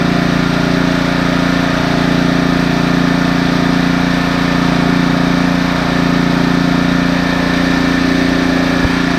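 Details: Husqvarna ST332 snowblower, small single-cylinder engine with black, gasoline-smelling oil: steady, even drone at constant speed with no stumbling; running smoothly.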